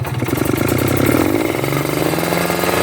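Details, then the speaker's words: Two-stroke motorcycle (tagged Ninja) with a rich ("wet") low-speed carburetor setting that wastes fuel: an uneven, heavy, blubbering idle and sluggish low rpm that never crisps up. Rich low-speed mixture. "Nah, itu basah ya. Bisa teman-teman dengar. Nih, berat. Berebet ya. Ini bisa digas, cuman berebet ya, putaran bawahnya berat."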